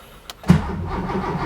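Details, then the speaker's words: Porsche 911 2.8 RSR build, cold start after weeks off following gearbox failure, with revised throttle ramping map: brief crank then clean catch into steady even idle, no heavy smoke; normal cold start. "that cold start seemed pretty smooth seems to be uh starting and idling reasonably nicely and and and happily not blowing heaps of smoke"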